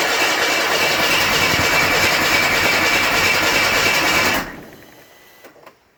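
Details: Buick Grand National on E85 with SD2 chip, no mass airflow sensor, TPS set to 0.42, 80 psi oil pressure built: steady fast cranking about three beats a second for several seconds, never catches; cranks but won't start, no spark suspected.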